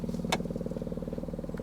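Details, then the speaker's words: 1983 Mazda RX-7 FB phase 2 rotary barn find, sat about 30 years; ignition on, engine off, fast even buzzing about fourteen per second heard down the throat of the car; believed electric fuel pump running dry, not confirmed. "i reckon it's fuel yeah i think you're right you can you can hear it down the throat of the car"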